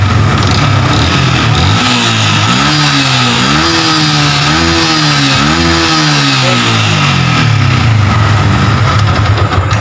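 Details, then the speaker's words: Yamaha Vixion injected single-cylinder motorcycle with MIL blinking 2 fast and stumbling when indicators are on; idle and revs clean, charging measured about 13.9 V from a 12 V battery, judged normal. "jadi pengisian ini ada di angka 13 komasikan sekian belum mencapai 14 Saya rasa ini pengisian udah normal karena apa aki ini 12 volt kemudian saat motor dihidupkan kok menjadi 13,9 sekian berarti normal bisa ngisi"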